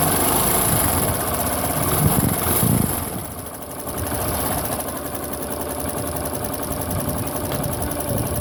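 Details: Pop 110i motorcycle at idle: a steady idle with uneven ticking about four times a second over the engine note. This is an abnormal engine noise with its cause not identified.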